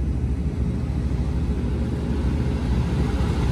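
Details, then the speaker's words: Goodman package unit with no heat or air, contactor jumped: blower motor ramped to high speed, steady low roar and even airflow with no knocks or squeals; AC works, fault was a bad contactor. "motor is ramped up you can tell it's definitely on a higher speed"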